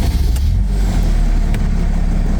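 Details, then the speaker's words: 2012 Mercedes Sprinter 519 diesel, 6-speed manual, 393 (thousand) mileage, just started after glow plug light went out; deep steady rumble settling to soft even low idle, no clatter or misses, no smoke. "м'яко автомобіль завівся невеликі обороти Подивіться чисто м'яко працює"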